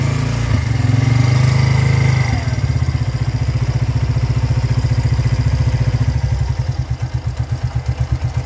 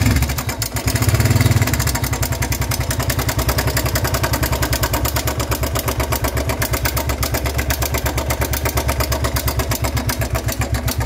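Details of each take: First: Motorcycle engine after tensioner replacement, previously loud at startup like valves or timing chain; now drops from brief rev to steady even idle thump with no ticking or rattle. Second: Single-cylinder motorcycle idling with a loud, fast metallic clatter over the exhaust beat, started faintly a week earlier then suddenly got loud; suspected tappets or timing chain; slack timing chain from failed tensioner, tensioner replaced.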